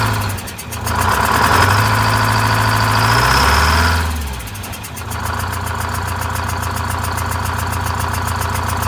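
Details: Vintage Scenicruiser bus diesel with automatic transmission, one bad cylinder bypassed, cooling fan off: revs briefly then drops to a rough, loping, uneven idle running on seven cylinders.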